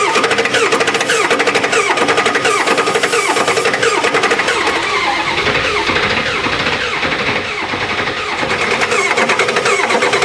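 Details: Four-door Bronco that sat about six years, with old fuel and a melting starter wire. Steady starter whirr with rhythmic cranking pulses that never catch. Crank no-start.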